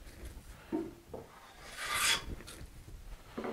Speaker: a real heavy cut is going to be a deeper sound the more moderate or the lighter the plane cut gets the more of that kind of wispy snicking noise that you